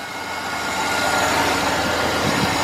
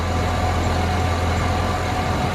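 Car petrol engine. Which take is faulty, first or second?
second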